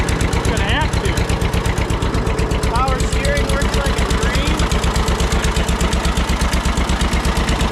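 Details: Barn-find John Deere 630 tractor, just started on first try at about half throttle with a little choke, good oil pressure. Idle with a sharp, rapid, regular tick on each firing pulse; exhaust manifold leak suspected.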